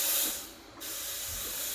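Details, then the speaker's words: Breville Barista Express steam wand purged after frothing milk, to clear out milk before returning to coffee mode: two short clean high steam bursts with a pause between, no sputter or gurgle; normal purge. "Before going back to coffee mode, I'm just going to purge"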